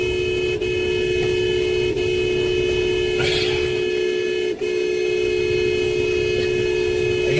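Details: Car horn stuck on, heard on a dashcam. Steady two-tone horn blares without a break over passing traffic and can't be stopped.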